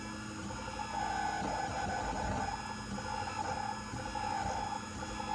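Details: New Printrbot Simple 1403 3D printer whines during printing, a thin tone swelling and fading as the head moves; owner suspects the X-axis movement.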